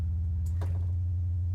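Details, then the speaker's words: Misbehaving modular synth: steady low hum with buzzy overtones instead of a clean sine; distortion remains with VCA removed but clears when envelope is unplugged, returning when plugged back in; cause not yet found. "I'll take the envelope out and we go back to what sounds like a cleaner sine wave plug it back in we get the Distortion"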